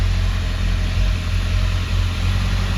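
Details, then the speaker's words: 2000 Ford Excursion 7.3L Powerstroke diesel with low power, can't exceed 40 km/h, running with the suspect air filter installed: heavy low rumble with an uneven, slightly lumpy beat and faint hesitation, sounding choked for air. "but uh looking at this filter problem so this is with the filter installed [Music] and there seems to be some hesitation too it just doesn't sound right"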